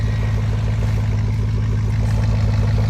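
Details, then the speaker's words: 2004 Silverado 1500 V8, first cold start after sitting about six months, with a 10-degree night; about 800 rpm idle per the Bully Dog: a deep, steady burble at a low even idle with no ticks or knocks, a clean healthy cold start. "sounds so good right now you got to realize I haven't heard this sound in like six months so I'm super pumped"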